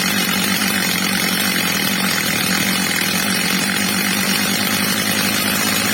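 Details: Old, well-worn Stihl MS230 chainsaw after fitting a new replacement carburettor and tuning it: H-screw max revs set slightly below the ~14,000 rpm target; steady, even high-pitched scream at full revs without surging or four-stroking, normal high-speed running.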